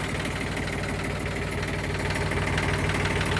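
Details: Yanmar YM1610 diesel tractor (1979-1981, 942 hours), first start after about 10 years sitting: even diesel clatter at idle, about three beats a second with a steady low rumble; engine idling normally.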